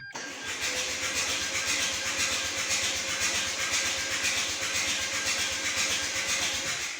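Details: Rebuilt Renault 1.9 diesel cranked with glow plugs out and injectors fitted, priming until injectors spray: steady fast starter whirr with an even churn about twice a second, no firing; cranking without compression.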